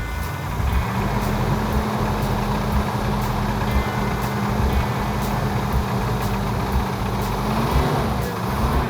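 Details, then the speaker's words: 1970 Cuda 340 V8, freshly rebuilt engine, at first start after fixing a tinny flex plate sound: loud sharp metallic clanking over rumbling idle, worsening the longer it runs; source unknown, valvetrain, lifters, flex plate or bottom end suspected. "engines shouldn't make noise when you first start them this has a metallic clanking sound to it it's so loud that i can't tell whether it's in the the valve train if it's in the lifters if it's telegraphing out of the torque converter where maybe the flex plates hitting the the shield is it a lower bottom end i don't k"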